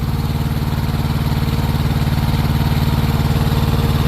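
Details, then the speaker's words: Truck APU small diesel after belt squeal fix: steady even low chug, no belt squeal even as the compressor kicks in and it speeds up. "vieron ya el prendió ya eso es todo mira volvió y se aceleró ahora ya no"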